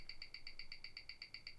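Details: Rolex Explorer II at 28,800 bph on a Weishi timegrapher; crisp, even ticking about eight per second with no stumbles or uneven beats. Rate minus six, returning to minus five seconds a day. Normal watch tick.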